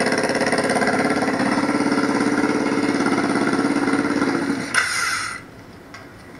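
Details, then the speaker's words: Yamaha motorcycle with a hybrid fuel setup, running 100% on propane fed through a stove regulator into the carburettor idle circuit, gasoline line disconnected: smooth, even idle at a steady quick pulse for several seconds, then shut off; runs cleanly on propane. "So this is a 100% propane powered motorcycle at the moment. And just so you can hear it run."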